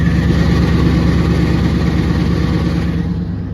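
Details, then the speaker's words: Truck with long tube headers at idle: deep loud idle with a steady metallic ring, loudest in reverse or neutral and gone in drive; shifter cable touching the driver side header, which will be heated and dented for clearance. "I'm going to show you guys the noise that it makes also hear it when I put it on drive but when I put it on reverse that's when you can hear the most or on neutral there you go a nasty ring"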